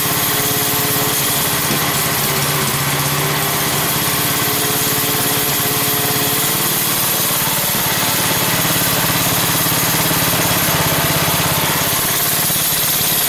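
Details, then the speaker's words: Pow'r Gard 4000 generator with a Wisconsin Robin EY27W single-cylinder engine and Mikuni carburetor, idle speed adjusted down from too high, choke off. Steady, even smooth idle with only the odd puff; running settled and healthy. "So it was idling a little too high, and now it has a pretty nice smooth idle. It puffs every so often, so it's like, but it's like, it just sounds like an engine."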